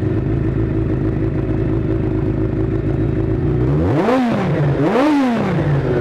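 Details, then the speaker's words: 1983 Kawasaki GPZ550 four-cylinder after carburetor work, tuning and airbox restored (pod filters removed), Kerker exhaust: steady even idle with two quick clean blips; normal idle, runs smoothly and revs freely. "okay so we got the bike running nicely it sounds fantastic everything's put back together"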